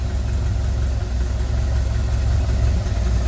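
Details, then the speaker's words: 1928 Ford Model A roadster race car with a 4-port overhead valve head conversion, just started ice cold with the choke still partly out: deep, low, even four-cylinder chuffing idling down smooth and steady, with really good oil pressure. "It's ice cold. So, but we got really good oil pressure."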